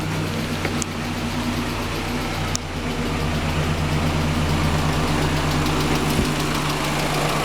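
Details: 5th-gen Honda Prelude at idle: a fast, fairly even tapping near three per second rides on the engine note; owner is almost sure it is bent valves but the knock's source is unconfirmed.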